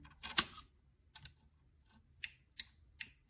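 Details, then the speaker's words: PSR-E-C actuator with a PSAP.3 during commissioning, hand wheel turned to the open and closed limits: sharp dry clicks as the micro switches trip at end of travel. Normal limit switch click. "so move the move the hand wheel to each Direction and set the actuator set the micro switches accordingly you can hear this noise this clicking"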